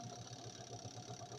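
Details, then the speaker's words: Twin-tub washing machine spin motor, loaded with wet clothes: a steady, even hum with a faint high whine, accelerating to normal working speed with no knocks or scraping; normal spin motor run under load. "problemas escuchen como acelera ahí ya llegó a su velocidad de trabajo normal ven sin sonidos extraños"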